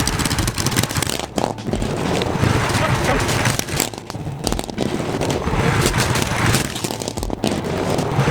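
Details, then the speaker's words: Baja Warrior mini bike, first test run: small single coughing and stumbling with uneven bursts and dropouts about three per second after choke engaged following a choke-off start; sputtering running. "so apparently i got it started with the choke off and then i choked it so i felt like it was kind of sputtering and i didn't know why"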